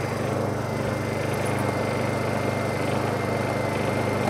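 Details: Honda EU2000i inverter generator, Eco Throttle demonstration; small engine hums quietly and evenly at a low steady idle, no misses or knocks — normal idle.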